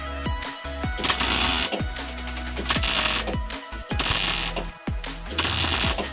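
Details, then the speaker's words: Hobart Ironman 230 MIG welder stitching a large gap in a cracked kids' go-kart frame: short bursts of smooth, even crackle between stitches, over background music; well-set normal arc giving good welds. "You hear how smooth and even the crackling of the welder is. That's a pretty good indicator that we got it welded. We got it set right."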